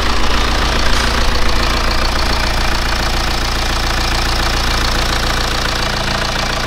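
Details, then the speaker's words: BMW E87 1 Series N47D20 177 hp diesel at idle after reassembly: even idle, earlier noise gone, though an internal engine issue remains under the valve cover. "as you saw guys after assembling everything uh it looks like that the sound is gone but still as we saw we have an issue inside the engine"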